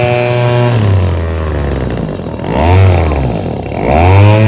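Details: Echo PB-2520 handheld leaf blower, carburetor replaced last year, won't rev up or hold speed; limiter caps removed and high-speed screw being adjusted; small two-stroke revs surge up and sag back repeatedly, never settling at steady top speed.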